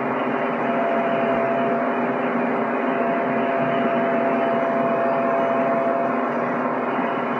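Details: PC with a Ryzen R7 1700 overclocked to 3.9 GHz at 1.325 V under CPU load, cooled by a Deepcool Gammaxx 400 with dual fans (CPU max 62C). Steady even whir with a faint thin tone on top and no ticking, rattle or surging. Normal fan run under load.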